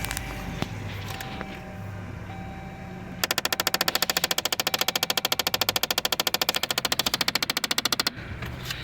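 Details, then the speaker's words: Dodge Journey 2.4 on starting: rapid, even clicking from behind the dash near the glovebox, coming from the blend door actuator; needs removal and testing. "ruido proviene de este actuador hay que desarmar y hacer pruebas"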